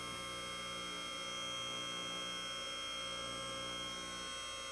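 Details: Advantage Legacy 4-post lift, first raise after installation; hydraulic pump gives an even steady electric hum, constant pitch, no whine or cavitation rattle, running normally.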